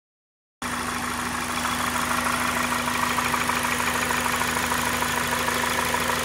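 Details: 2004 Acura RSX Type-S at steady idle with a faint, fairly regular light lower-end knock over the engine note; owner suspects rod knock, unconfirmed.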